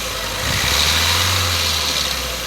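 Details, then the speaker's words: 2016 Hyundai Verna Fluidic engine idling with dense metallic chatter; timing cover removal showed a very loose timing chain causing the noise. "देख सकते हैं आप timing चैन कितनी loose है इसकी य टाइमिंग साउंड की साउंड थी य टाइमिंग चैन बहुत लूज है इसकी इसलिए साउंड आ रही थी"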